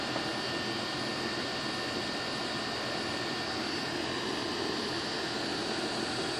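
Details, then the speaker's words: Goodman outdoor condenser on a no-cooling call, outdoor fan had stopped, suspected blown capacitor, slightly overcharged, superheat near 12–13: smooth steady fan rush over compressor hum, no buzzing or clatter, normal running after service. "She's doing good."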